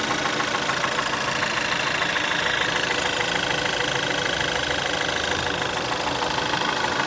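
Fast, fairly even clicking rides over a steady idle, about three per second, a sharp metallic tick from the top end at low revs.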